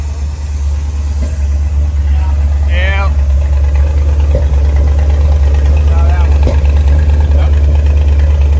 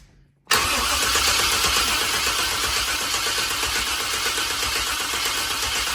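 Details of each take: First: Long-neglected V8 dually truck, bought in 2021, just after a valve adjustment to cure lifter tap: steady, even idle at about three pulses a second with no ticking on top, the valvetrain quiet and smooth; vacuum leaks were found afterward. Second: Long-sitting square-body dually truck, in park, cranking on a strong battery: the starter spins at a steady fast chug for about five seconds but never fires. Crank no-start; they note it also needs fuel.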